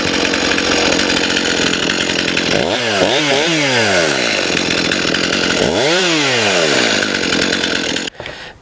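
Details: Stihl MS291 chainsaw after carb adjustment, mixture screws about 1.5 turns out, curing lean running and stalling: idles on its own, then revs up and down in quick crisp sweeps without stumbling; very responsive.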